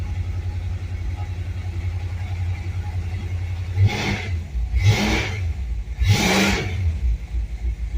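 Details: 1966 Dodge Charger V8, not started in a while, just fitted with an electric fuel pump relay: steady low idle, then three quick throttle blips about a second apart rising and dropping back cleanly; healthy engine.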